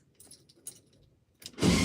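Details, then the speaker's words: 1972 VW Beetle, first start attempt after more than two years sitting: faint relay clicks, then a short burst of harsh starter motor whirring as it turns over; corrosion on the connections is hindering it. "oh do you wear that that was a starter motor oh yeah oh yeah that's really cool"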